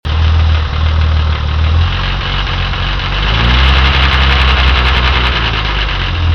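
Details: E-type Jaguar Series II engine idling: a rough, uneven tapping rattle over a low drone that appears to come from the timing chain end of the exhaust camshaft. It persisted after several attempts at a fix; cause not stated.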